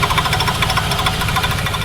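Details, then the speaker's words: Ford Thunderbird engine running with a fast, even ticking scrape; pulley edges rubbing on each turn, witness marks show both pulleys need shaving at the edge, currently shaving itself down. "Well, now we'll have witness marks, so now we know we got to shave it down a little bit. Yeah, exactly. I mean, I can tell where it needs to be shaved down right at the edge. Right at the edge. It's on the both pulleys."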